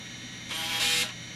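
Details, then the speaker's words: MICATA MBVLSI-168 AMD 286 system during boot after CMOS setup: single brief crisp buzzing seek of about half a second, no grinding; normal floppy drive seek, hard drive empty. "normal for the floppy drive of course there's nothing on the hard drive"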